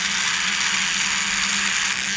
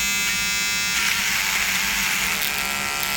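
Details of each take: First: Brio Beardscape trimmer cutting horsehair under load: steady buzz, low hum and bright cutting hiss, blade speed not dropping or bogging down; trimmer running normally. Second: Corded Wahl Peanut trimmer cutting a horsehair bristle brush: high electric buzz repeatedly sagging and recovering in pitch as the motor bogs down under load, unlike battery trimmers tested.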